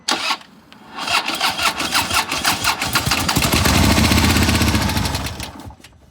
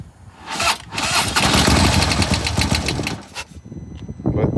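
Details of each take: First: 2015 Harley-Davidson Police Road King, 1690cc 103 High Output, collision damaged, sat two years, on jump box with carb cleaner: slow labouring cranking, catches briefly then stops; sluggish cranking. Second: 2015 Harley-Davidson Police Road King, 1690cc 103 high-output six-speed, collision damaged and sitting about two years, started on carb cleaner after sluggish cranking: twin settles into an even, loping idle, no knocks or rattles; normal idle.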